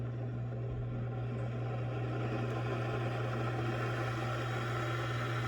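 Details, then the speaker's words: Water supply pump at a spring, valve closed so no flow, pump rated 160 psi, line delivering 60 psi downhill during leak hunt: steady, even low hum with no surging or knocking; normal pump running at shut-off. "The pump is capable of 160 pounds pressure. So the pump tech just turned it off because it wasn't flowing any water."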